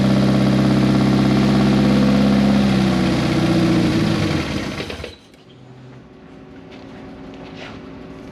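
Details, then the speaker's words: Turbocharged project car first started after almost 10 years, with straight header exhaust, 1000cc injectors and no mass airflow sensor fitted: loud raw high idle, then revs sag and it dies after about five seconds. Owner suspects the missing MAF sensor; cause unconfirmed. "anytime you started it it would start up it would rev up and it would hold idle for a little while like up in the high RPMs and then it would just slowly dissipate down and then it would just fall on its face"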